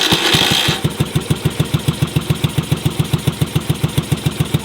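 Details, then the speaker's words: Yamaha Virago being built as a cafe racer, just started: slow, lumpy single thumps with only one cylinder firing; the second cylinder fires occasionally, getting louder, then pops when it drops out; cause not yet found. "The second cylinder occasionally fires. You can hear it firing, the bike gets louder, and then you can hear the popping, which is the cylinder not working."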